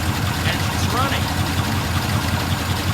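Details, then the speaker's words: 1936 Cord returned to service after rear brake, carburettor and cooling system work: low thumping idle, steady but slightly irregular beats. It sounds pretty good but doesn't run quite well, idling a little rough. "sounds pretty good it doesn't run quite well"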